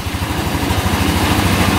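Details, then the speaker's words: Yerf-Dog Scout 4x2 UTV, sat outside for years, after replacing the broken tank pickup hose: running off choke and warming up, steady even idle about twelve beats a second with no misses, pretty quiet; pump issue fixed. "you can let this thing warm up for a little bit well it looks like we got the uh the pump issue fixed sounds pretty good pretty quiet"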